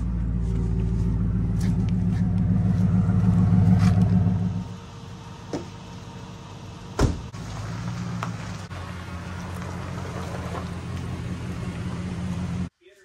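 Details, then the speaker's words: Ford F-150 Harley-Davidson edition V8, auction truck: uneven, lumpy idle stumbling every few turns before dropping off; dropping a cylinder. Bad coil, spark plug or plug boot suspected; plugs and coils to be replaced. "so we've got an engine Miss fire uh it's dropping a cylinder like it's got a bad coil or bad spark plug or or spark plug boot there"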